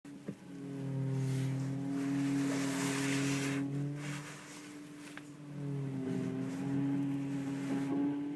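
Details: Audi A4 2.8: steady low droning hum with higher tone swelling and shifting in pitch as the steering wheel is turned; steering whine, power steering pump suspected, not confirmed.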